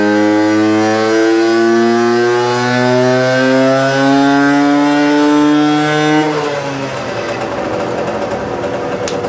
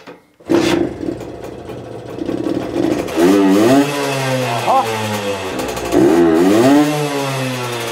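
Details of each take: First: Herkules Prior K50 moped, 50S two-stroke engine, 5-speed, original displacement, 17 carburettor, resonance (tuning) exhaust, tuned from 4.5 to 7.6 PS; clean crisp wail climbing under full load without misfire, then easing off; normal full-throttle run. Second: Herkules Prior K50 moped, 50S 5-speed two-stroke at original displacement, tuned, 114 main jet, tested at full throttle: revs climb, then sag and stumble into a big hole before picking up, a lean flat spot, the jet too small as feared.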